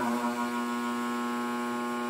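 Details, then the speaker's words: Electrolux A10 Smart vacuum cleaner that gave a burning smell and smoke: on power it only gives a steady electrical hum with no spin-up; the motor is not seized but gets very hot, and the owner concludes it is burnt out or shorted. "Vocês ouviram lá que no vídeo ali que tava fazendo barulho ou seja tava passando corrente elétrica e não gira o motor"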